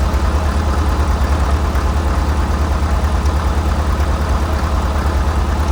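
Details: 1947 International Harvester TD-9 gas-start diesel crawler, first start in years after magneto rebuild: heavy, steady low diesel thump at even idle, settling without stumbling, running healthy.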